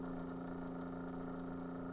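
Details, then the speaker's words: Keurig coffee maker brewing, microphone tipped toward the pump: a faint steady hum with a low, lazy pulsing and no surge of flow. The water pump turns far too slowly and no water pours. "that's turning extremely slow compared to the other ones it should be pouring water right now right nothing"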